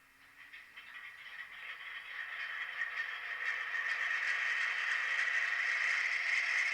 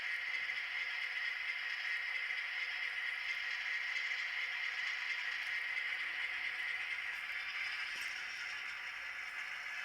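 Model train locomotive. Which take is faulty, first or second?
first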